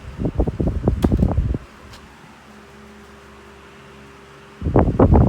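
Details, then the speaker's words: 1981 Dayton (Lasko/Glasgow) 16-inch oscillating desk fan, model 4C508B, on high with oscillation: steady low motor hum with a faint even tone between handling rustle, no rattle, scrape or bearing knock. Healthy. "since it's it's basically my daily runner especially in the summer i still run it in the winter whenever i'm hot but it gets it's running and it doesn't have any wasco bearing knock"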